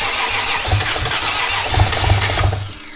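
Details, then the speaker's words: Nissan S14 240SX with swapped 1JZ VVTi, CD009 transmission, BC 264 cams and Borg Warner turbo, on its first start: starter cranks with a few uneven catches and bursts but never settles into idle and dies. Fuel pressure reads about 50-something psi, which seems a little high. "she does not want to run right now"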